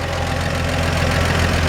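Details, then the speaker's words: 1947 Chevrolet 3100 pickup, original 216 six upgraded to 12 volt: smooth even low idle with light steady lifter ticking; healthy, small squeak possibly belt. "But you can just hear the lifters in there. It's just nice and healthy. That's a 216."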